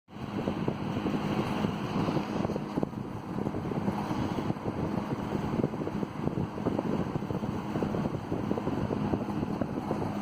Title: Eskimo box fan with very bad bearing noice